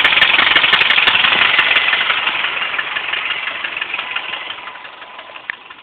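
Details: Subaru Impreza EJ25, after highway drive: sharp quick regular loud ticking over a rough idle; owner suspects a spun bearing, unproven.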